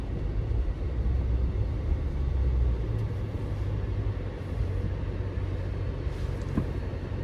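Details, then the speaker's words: Chrysler 300 Scat Pack swap, road test after work on squealing brakes (hardware reseated, throttle body bolt, fresh oil and differential fluid): car rolls to a full stop with only tyre and engine rumble, no squeal or grinding; brakes quiet. "I ain't noticed nothing right there. I ain't noticed no noise right there. Y'all notice any noise? You feel me? It actually felt real good stopping right there."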